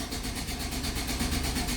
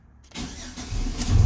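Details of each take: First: 2005 GMC Sierra 4.3L V6 2WD: fast, even starter cranking throughout but never fires; crank-no-start. Fuel gauge doesn't rise and no fuel pump sound heard; owner suspects an electrical fault. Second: 2005 GMC Sierra 4.3L V6 2WD with intermittent no start, pump sometimes silent and fuel gauge not rising: after pump is heard running, starter whirs briefly then engine catches into steady smooth idle; normal start.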